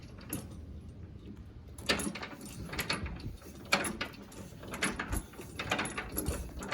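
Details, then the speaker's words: Semi-trailer landing gear cranked down by hand in low gear before coupling, low gear being easier and whining less than high gear: uneven clicks and light clanks from the gearbox, little whine; turns freely, normal. "when it's in low gear it's gonna feel more easier right now i got it in high gear and also when it's a high gear it makes more of a stronger whining noise but it's a low gear making a lesser whining noise"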